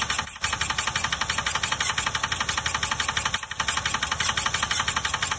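Steady rapid knock, about three per second, sits evenly over the engine idle throughout; some internal knock, cause not clear.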